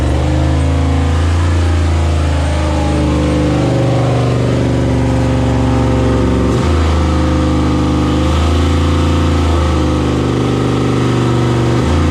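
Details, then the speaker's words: 6.0 V8 swapped into a CUCV, first start with idle set lowered to 650 rpm, coolant system not connected: fast, steady idle that never settles lower; idling too high, owner suspects an air or vacuum leak. "all right uh it's still idling way higher than I want it to I'll have to figure out why maybe I mean there's good possibility that's an air leak or vacuum leak or something on this thing"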